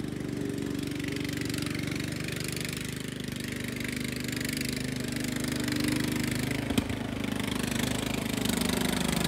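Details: Restored Jacobsen Chief 800 with new carburetor, deck engaged after a fix to keep the belt from flying off: small engine holds an even steady putter under load, no misses or surging; healthy and settled.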